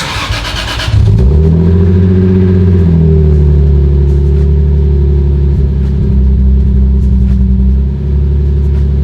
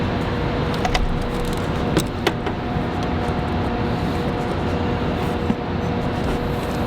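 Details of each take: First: 2003 Lexus IS300 (2JZ-GE inline-six) at startup before a spark plug change: catches and settles into a lumpy idle with an uneven, stumbling beat, a misfire; cylinder unknown, no scanner, plugs suspected but not confirmed. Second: 2003 Lexus IS300 with the 2JZ-GE engine, after new spark plugs to cure a felt and heard misfire, sensors and throttle body refitted. Quiet, steady idle with no stumble or skipped beats and a few stray knocks around it. Normal idle.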